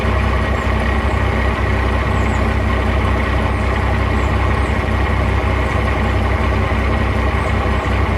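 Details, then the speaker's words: 1989 Dodge first-gen Cummins diesel with a new HX35 turbo and marine 370 injectors. Loud steady idle, a bit high at about 800 rpm, even clatter with no misfire. Nicer turbo sound, clankier since the new injectors, less smoke; healthy. "idle's a little high right now, probably about 800 RPM, but sounds pretty good. Turbo sounds pretty nice, and I definitely have noticed that it sounds a lot better and it smokes a lot less."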